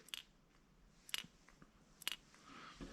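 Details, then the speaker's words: Carburetor from a 1988 Johnson 9.9 outboard, shaken by hand after reassembly. Light, crisp clicks about once a second as the float moves freely inside, as it should. "let's see i can hear that float"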